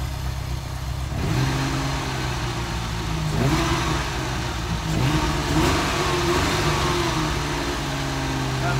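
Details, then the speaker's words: Ferrari 308 V8 during rebuild, after adjusting the idle air screw: idling just over 1,000 rpm on cold start with cold-start system active, slightly fast and lumpy with clean throttle blips; settles normally. "okay so that is now idling just over 1,000 RPM uh I'll just monitor this obviously the cold start system is also in play at the moment so uh this might fluctuate"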